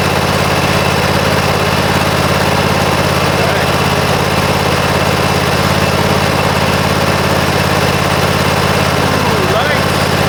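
Small engine catches and settles into a steady, even idle with a smooth low drone and no knocks or misses; running healthy.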